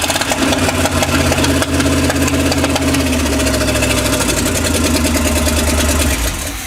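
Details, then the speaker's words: GM carbureted V8 after new lights and wiring, possible water in fuel: lumpy, stumbling idle with irregular pops; misfire, owner suspects plug wires mixed up on the cap, though firing order later checked correct. "we're gonna check the wires on the cap because it sounds like I had something out of whack here you hear it pop in here and over there so I probably have to mixed up"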